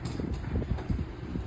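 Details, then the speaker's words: Garage door after spraying lubricant on rollers, chain, pulleys and hinges: travels with low soft rumble and light thumps, no creaks or squeals, quiet smooth operation. "see how fine it goes no making any noise again I will open see it is not making any any noise"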